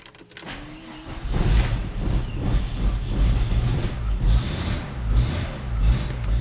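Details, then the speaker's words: Audi Quattro after fuel pump replacement with new 1/4 in 300 PSI fuel hose, cranking repeatedly without starting: steady low starter churn with uneven beat and no catch; flooded engine, fuel pump keeps pumping more gas into the cylinder. "I should put a cut off on the fuel pump so I can like lean it out when it gets flooded like that cuz it just keeps pumping more gas into the cylinder."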